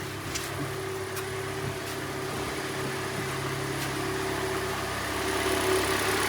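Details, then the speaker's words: Hyundai Elantra 1.8 G4NB, 173,000 km, automatic, after repair of scored pistons and an under-hood knock: steady, even, quiet idle with a smooth hum and no knocks or ticks. The engine runs healthy. "Работает ровно, работает тихо."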